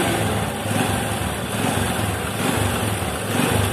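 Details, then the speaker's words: Honda Supra 125 motorcycle idling: fast, uneven metallic rattle over a steady single-cylinder idle; cam chain slack because the tensioner is soft, its spring likely worn or nearly broken, and noise returns after the tensioner backs off. "Nah, seperti itu. Benda itu terus berputar. Dan akan berisik lagi."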